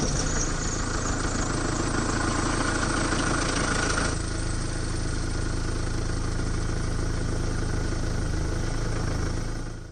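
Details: Mercedes-Benz OM651 diesel at cold start with a quick, uneven metallic rattle over the clatter; timing chain rattle, from a before-and-after repair comparison of cold starts.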